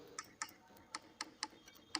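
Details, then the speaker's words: Top-load fully automatic washing machine solenoid tested directly on 220 V supply: sharp, crisp clicks at an irregular pace of about three a second, showing the solenoid is working. "ये cut cut की आवाज आ रही है तो इसका मतलब सही है"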